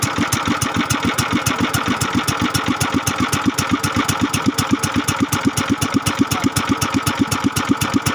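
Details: Kingstone 16 hp single-cylinder engine, restarted after reassembly with liquid gasket, previously hard to start and would not idle: steady, even putter about four firings a second, stable idle with no misses, now idling normally.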